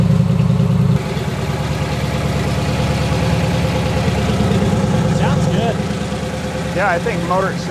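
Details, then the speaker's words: Freshly built 350 Chevy V8 with EFI on ethanol-free fuel, idle target 800 rpm, first fire-up: deep, steady, evenly lumpy idle around 800 rpm with no knocks or ticks; normal, healthy idle. "sounds fine. I'm going to go eat lunch."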